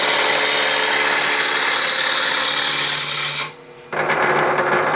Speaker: hear that knocking that means that this here isn't quite round yet